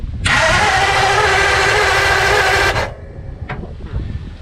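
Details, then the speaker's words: 1952 (or 1951) Ford F1 Flathead, possibly sitting in a field for decades, coil on alligator clips, cranked in neutral via screwdriver trick; brisk, even starter cranking for over two seconds with no firing; healthy crank, no start, spark and corroded points checked next. "Cranked over pretty fast. Cranks over good."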